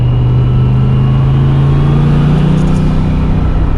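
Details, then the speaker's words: G-Force 500HP T5 manual transmission just installed in a budget turbo Fox Body Ford Mustang, first test drive. A steady deep drone under load carries a faint, even gear whine. It shifts in all gears, synchros seem okay, and it sounds like a healthy gearbox. "It does have a pretty cool whine. Not going to lie."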